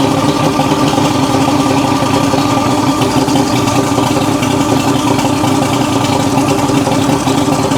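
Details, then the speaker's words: 1980s Mercury 150 hp Black Max 2-stroke V6 outboard during repair (fuel pump suspected bleeding into the block): steady, even idle rumble with no misses, knocks or surging, running much better and smoothly. ">> That sounds a lot better."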